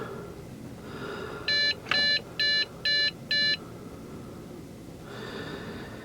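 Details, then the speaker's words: Trash-picked Dell Inspiron 660S desktop: a string of five short, even high beeps between CPU fan surges; failed-boot POST code, traced to a dead CMOS battery, and it boots after a manual power-button restart. "you know what, it's the battery. I don't have one on me, but when you shut it off manually with the power button and then turn it back on, it works."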